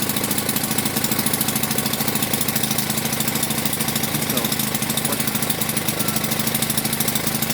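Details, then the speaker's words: Delta moped running after the choke flap was reset, owner thinks it was set wrong before: fast, steady two-stroke putter with an even beat, no misses or stalls; runs cleanly. "Нам такки вдалось його завести. Це просто, напевно, неправильно регулював засунку."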